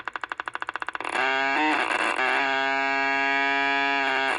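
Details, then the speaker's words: Mid-1960s Panasonic R1326 transistor radio after contact-cleaner soak: steady high-pitched stacked-tone squeal persists through the speaker; oscillation suspected from a shorted output capacitor, bridging planned; oscillation squeal. "Now that solution has soaked a little bit, let's just see if we have got any improvement in the squeal. Nope, still do."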